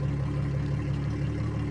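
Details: 2003 Yamaha 225 four-stroke outboard, 361 hours, idling with oil pressure reading 82-85 and injection duration 2.46: smooth even low hum with no knocks, misses or rattles; running healthy.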